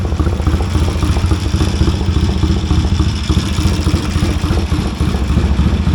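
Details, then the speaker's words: 1970 Triumph T100C twin with straight-through pipe, after first start, first gear confirmed working: loud, deep, steady thumping idle, even beat, no misses; healthy running. "Well, first gear works. Sounds like another straight through pipe."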